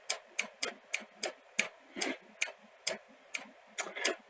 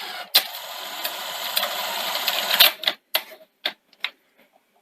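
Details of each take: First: Sony SL-C30 Betamax before the fix, still failing after the backup capacitor was swapped: sharp, regular clicks about three a second as the loader cycles without taking the tape. Cause was a misaligned loading microswitch. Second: Sony SL-C30 Betamax after the front-loading rebuild: the motor whirs about two seconds, then crisp, evenly spaced clicks as the cassette seats; normal loading.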